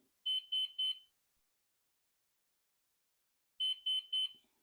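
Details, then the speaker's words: Flywing Bell 206 V3 RC helicopter with a GPS problem, connected to the configuration software, repeats groups of three sharp high beeps; owner suspects a warning for battery below voltage. "I hope um that sound means that the battery it's uh below uh voltage uh I maybe that's what it is because it's very distinct sound"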